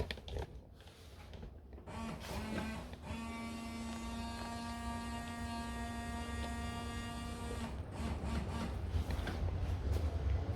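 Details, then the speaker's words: Fiat Palio rear window washer; a steady electric pump whine in a quiet cabin as the pump runs normally, but no fluid sprays because the hose is broken inside the pillar. "the line is disconnected or it's clogged, nothing came out here, ok I'll try a little more"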